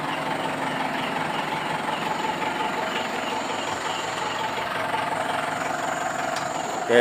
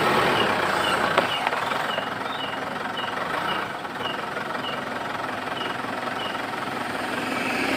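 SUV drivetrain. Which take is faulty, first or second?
second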